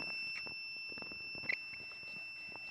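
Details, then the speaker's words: HobbyKing EZIO 800 electric glider at the park before its maiden flight, throttle applied on a brand-new charged battery. A thin, steady high squeal that didn't happen during checks at home; the owner suspects a bad ESC (speed controller). "kind of strange that sound it's brand new battery it has been charged and i don't know what's going on is the bad esc i'm not sure"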